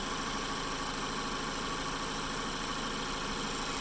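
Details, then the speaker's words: 2012 Mazda 3 Skyactiv engine idling smoothly with no squeal after replacing the AC compressor belt and the stretch belt for the water pump, which had been squealing. "the car makes some noise before and now running smooth after I replace these two bels"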